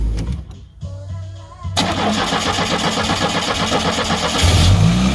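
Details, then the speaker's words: Cold start of a 2.5 L Iron Duke Pontiac Fiero after fixing belt squeal on startup: the missing bottom alternator-to-block bolt was installed, securing the alternator. The starter cranks briefly, the engine settles into a steady idle with no belt squeal; normal start. "as you can see there's no more belt wheel we have the alternator is properly secured"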